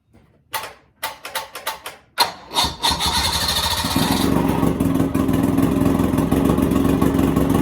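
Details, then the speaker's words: 1986 Bass Tracker boat with a Mercury outboard, first start after 6–7 months unused: a few sharp cranking bursts, then a steady, buzzy, even run with no knocks or misses. Healthy running. "She sounds like a bumblebee, just absolutely pissed off at the world, let me tell you."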